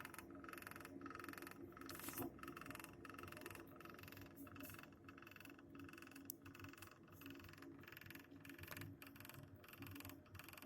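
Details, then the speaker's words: New Navien Smart Tok 24K gas boiler, fan off, system pressure normal: circulation pump knocks and rattles unevenly, one or two knocks a second over faint hum; knocking stops when pump is switched off. "Котел наведен смарток. Стучит насос. Вентилятор сейчас не работает. Слышно стук насоса."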